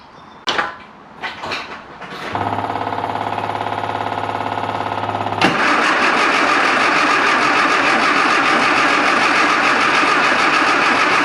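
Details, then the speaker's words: Classic Mini Clubman Estate with carb dashpot fouled with debris: steady starter churn about 3.5 beats a second, never fires; fuel trickling heard. "start the answer to that is a hard no it won't even fire now [Music] so can hear something trickling somewhere"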